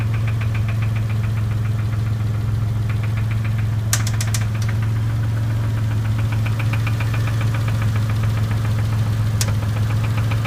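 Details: Dodge Stealth at idle: fast light valve tick over a deeper engine knock, attributed to a bent valve; crank sounds bad, engine smoking and oil pressure reading very high.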